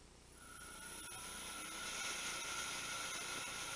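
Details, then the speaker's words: Hui Chang VHM mill with a Verman 3-phase 1 hp 2-speed vertical spindle motor retrofitted to an XSY-AT1 2.2 kW VFD, running at 60 Hz: a quiet, smooth run with a faint carrier whine. It sounds healthy. "as you can hear um the motor is like kitten very nice cooling"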